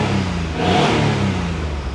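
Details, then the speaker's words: Abandoned Geo Metro LSi convertible, three-cylinder, possibly 51,000 miles, half tank of gas, starts on its own battery; small engine blips up smoothly and eases back to an even idle without stumbling or knocking, not pretty but runs; normal revving. "it does not sound too bad guys I mean it's not very pretty but at least at least she runs starts up on her own with her own battery"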